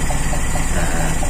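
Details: Toyota Kijang (3K/4K/5K/7K-type engine) after points distributor installation and timing set: low, steady idle with an even beat, no misses or knocks; normal idle.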